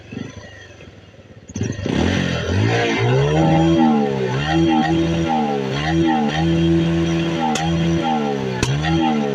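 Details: Motorcycle engine starting and revving up and down repeatedly, with brief stumbles suggesting a misfire; cause suspected, not confirmed.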